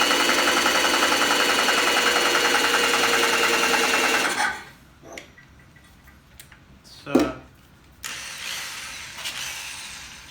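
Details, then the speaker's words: Westinghouse 3YC two-stage compressor from a Budd RDC, unused 30+ years, serviced, heads off, test-turned by drill: drill whine over even pumping about three and a half strokes a second, unloader audibly breathing from crankcase oil; runs quietly, healthy. "pretty quiet, it's pretty heavy duty load for a drill, but at least it's actually doing it, and you can hear the unloader as it's breathing."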